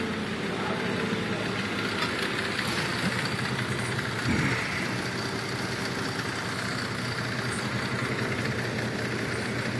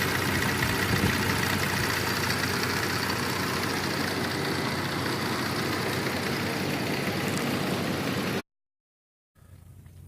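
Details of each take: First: 2004 Cadillac SRX 3.6 idling rough and uneven with irregular stumble; scan shows cylinders 1 and 3 misfiring, cylinders 2, 4, 6 at zero, injector 1 code; intermittent injector problem. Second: 2004 Cadillac SRX 3.6 V6 after cylinder 1 and 3 misfires from an intermittent injector fault, likely a loose connector: after a 20–25 minute drive it idles steadily and evenly, no shaking, check-engine light off.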